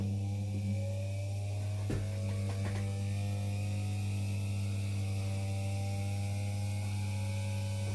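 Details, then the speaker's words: Philips hand mixer, freshly greased gearbox, lowest speed: steady low motor hum with whining tones, speeding up as the grease finds its place; smooth, even running. "you can see that as you hear it starts running faster faster so the grease is finding its place and this is as beautiful a sound as you can ever get out of these things"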